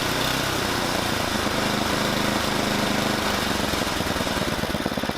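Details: Tecumseh Snow King snowblower single-cylinder engine after carburetor replacement: steady, even running with busy mechanical chatter, no stumbling or surging; running normally.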